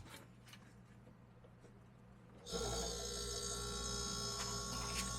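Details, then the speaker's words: Dead wine cooler's compressor wired straight to 110 V, bypassing the controls; quiet, then steady hum with faint whine as it starts and cools. Compressor good; low-voltage transformer suspected as the fault. "that's the sound of a compressor Cooling compressor is running okay so we know that is a good compressor"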